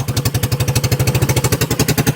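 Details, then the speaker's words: 2021 Kandi Batman go-kart with the stock carburetor and a newly fitted fuel filter, fuel and throttle cable not yet adjusted, no muffler: small single cylinder chugging in steady, even pulses, idling cleanly. Normal idle. "Stock carburetor made it. We didn't adjust our fuel or our throttle cable yet"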